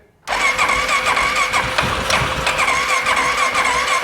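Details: 2014 Polaris Sportsman ATV left outside for years, with new battery, new ignition switch, throttle body refitted and fresh fuel: starter whirs steadily and the engine turns evenly but never catches.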